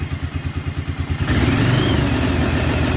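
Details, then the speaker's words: 1996 Arctic Cat Bearcat 454 ATV: lumpy thumping run breaks into ragged, uneven roar, cutting out depending on brake pedal position; brake switch circuit is killing ignition. "down so it has something to do with that brake switch"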